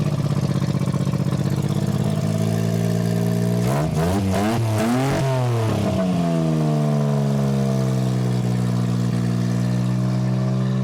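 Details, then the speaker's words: 1993 Geo Metro after fuel pump replacement: cranks about four seconds, catches and settles into a steady even idle; owner says the new pump didn't fix the original problem. "Okay, 1 and 2. Go again. And there she blows."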